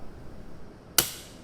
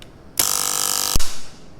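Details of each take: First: Mcwell residual-current breaker wired as the manufacturer specifies: quiet room, then one sharp snap as it trips on simulated leakage, as a working breaker should. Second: RCD breaker wired with line and load sides reversed, under a leakage test: a harsh buzzing hum for under a second, then a sharp crack as it trips. The internal RCD circuit board failed and will no longer trip on test.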